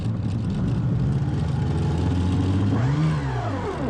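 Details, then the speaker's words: Sea-Doo jet ski with new fuel lines: the engine runs briefly, then under throttle its note climbs sharply and falls with no load, free-revving as if disconnected from the drive shaft; cause unknown, owner can't find it. "It can go for a little bit, and as soon as I give it any kind of throttle, it like disconnects from the drive shaft and just like kind of free spins."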